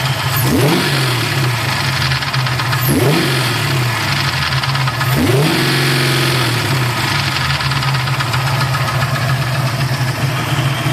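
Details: Freshly assembled Mustang 347 stroker V8 idling, with a light, even top-end tapping that rises with each throttle blip; owner suspects a lifter, unconfirmed.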